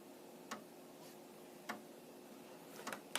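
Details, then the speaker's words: Amiga 1000 at power-on without a monitor, after LED flashes: sharp dry clicks about once a second as the floppy drive, past its internal checks, polls for a Kickstart disk, a normal good sign. "So if it's making that noise, it means it's woken up, it's gone through its internal checks and diagnostics, and it is looking for a disk."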